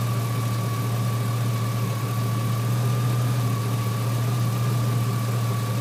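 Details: 2003 GMC Sierra SLE, 4.8L V8, idling after installing a junkyard 105 A remanufactured alternator; smooth, unchanging rumble with light steady accessory hum, no ticking or stumbling; 14.2 V at alternator; normal idle.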